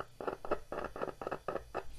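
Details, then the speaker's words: Used loudspeaker tested by touching a battery to the coil leads: short scratchy crackles in quick bursts each contact, showing the voice coil conducts and is not burnt out, though the cone is badly worn. "está Produzindo um som esse ruído aí tá bom Então significa que a bobina está boa"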